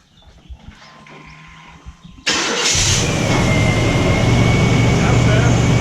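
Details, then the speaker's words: 1996 Chevy K1500 Silverado right after replacing the worn-out original starter: short crank, engine catches at once and settles into a steady even idle; normal cranking and start. "yeah guys how you change the starter that sounds that sounded really good"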